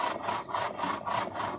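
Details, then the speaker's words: Hyundai Xcent, turning steering wheel: dry rasping scrape in about five short bursts, one per steering movement; noise persists with column disconnected from steering box, so it's the column, bearings dried out; column to be replaced. "তারপরেও আওয়াজ হচ্ছে, তাহলে আওয়াজটা কলমে আছে। কলমে যে বিয়ারিংগুলো থাকে সেগুলো অনেক সময় শুকিয়ে যায়, সেক্ষেত্রে আওয়াজটা বেরিয়ে গেছে।"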